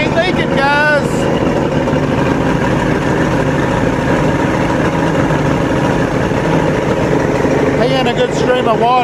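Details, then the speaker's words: Outboard motor on the Javelin boat running on muffs after carb cleaning and a screw fix for a leak: steady, even idle with water splashing and no misses or knocks. It smokes but the fix doesn't leak. Normal, healthy running. "That sucker sounds pretty good, though. Man, it's smoking."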